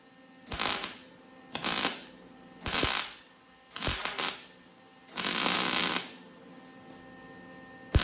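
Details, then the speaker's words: Welding Fox-body subframe connectors: crackling bursts about a second each, last run harsher and spattery as the hot steel's galvanized coating burns off; to be ground down next. "As you can hear it getting kind of nasty at the end. That's just as that steel gets hot and that galvanized is burning off that steel."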